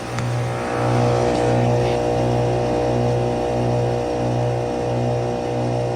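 Steady low electrical hum with an even fan whoosh, no knocks or rattles; the outdoor unit is running normally in heat mode.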